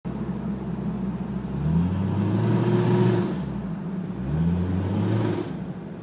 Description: Started mis firing at idle on one cylinder sporadically, then runs great through RPMs up until a good heat soak (sitting at idle for 10 min) then it begins to misfire on all cylinders under load.